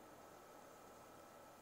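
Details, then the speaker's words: iPollo V1 mini home crypto miner with fan speed set to 40%, about 2700 rpm, after a restart: soft, even airy hum like an idling computer, with no rattles or pitch swings. Running normally at low fan speed. "because this noise level is very very low it's actually just like a a computer which is on idle okay so the as for the fans the rpm is about the 2700 rpm which is quite low"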